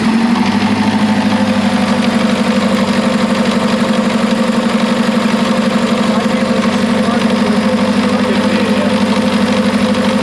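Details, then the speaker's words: 1975 Chevy Vega Cosworth twin cam revived after sitting 20 years, just timing-checked with the advance working, oil not yet changed; loud, regular knocking about four beats a second over a rough idle; engine knock, source unknown, oil change planned. "um now how to get there with that noise how are we going to get somewhere you want to just try new oil first"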